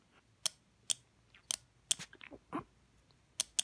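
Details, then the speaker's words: Gainsborough ES550 electric shower being taken apart: its pressure switch microswitches snap over with sharp, crisp clicks in irregular pairs and singles when blown into by mouth. This is normal operation. "so there must be a pressure switch in here so if you can hear this clicking this me blowing into it"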